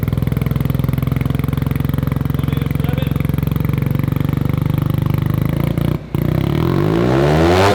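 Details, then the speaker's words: Mazda one-rotor (single-rotor rotary) build on its first drive, just jump-started as the alternator seems not to charge, revving freely: fast, even exhaust pulses holding steady then climbing smoothly; healthy, very loud engine. "we're gonna end this one with a little bit of revving because it sounds so good"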